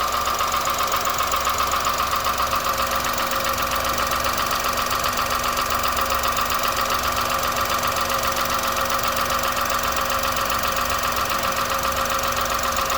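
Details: 2001 Honda Insight at 67k with valves already adjusted, making an even, light tapping of about 2.5 per second through the idle; it has not worsened and goes away while driving, and the cause is not found.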